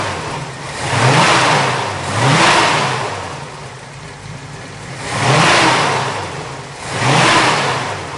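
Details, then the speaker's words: 1963 Chevrolet Nova convertible with a non-original 350 cu in small block Chevy, Edelbrock intake, Holley carb and center-dump exhaust manifolds, recorded under the hood: four clean throttle blips with crisp exhaust bark, no knocks or misses; healthy, normal rev. "It is a 350 cubic inch small block Chevy. Very stout running motor, very good sounding motor, which you'll hear that later in the video here also."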